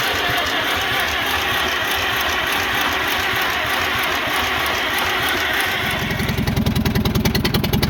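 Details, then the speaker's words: Old four-cylinder engine on an International Harvester McCormick 64 pull-type combine starts and settles into a steady, even beat around three and a half pulses a second; has oil pressure, runs clean and healthy. "Oh, it sounds good. It's got oil pressure too. Oh, it sounds good."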